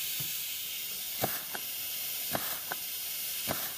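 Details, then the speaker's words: 200-R4 automatic transmission rebuild for a 1932 Ford, reverse high clutch assembly air pressure check on the bench: short sharp air hisses each with a soft piston thump; clutch applies cleanly, no leakdown, normal. "we already have our reverse high clutch assembly put together down there and we'll give it a quick demonstration of air pressure checks over here"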